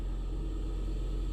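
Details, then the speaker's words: 2005 Toyota Prius at 50,002 miles with warning lights on; at startup the engine runs immediately and the hybrid battery cooling fan roars steadily at high speed, though the car had sat cool for about 40 minutes. Battery replacement suspected. "and listen to that the fan right there is immediately running despite the fact it was dropped off just what 40 minutes ago so it should be everything should be cool"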